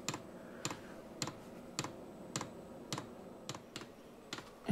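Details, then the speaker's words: Vevor Chinese diesel heater, after repair, on restart: glow plug preheats, fan ramps from low speed, then the fuel pump starts feeding fuel. Sharp, even clicks about twice a second over faint fan hiss. Normal fuel pump ticking. "and that is the fuel pump which has now started to feed fuel into the"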